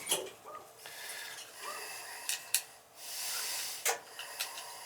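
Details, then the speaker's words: Amtrol indirect water heater with no heat and its control not calling: sharp irregular relay clicks in and out over faint hiss, trying to start but never firing and shutting off after about five seconds; control judged bad, to be replaced. "hear it clicking in and out right yep absolutely i could hear it before it was trying to sound like it was turning on but there would be like no no actual like it wouldn't actually go"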